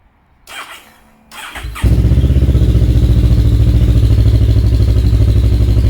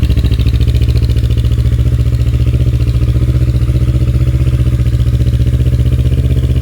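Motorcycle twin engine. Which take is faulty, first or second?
second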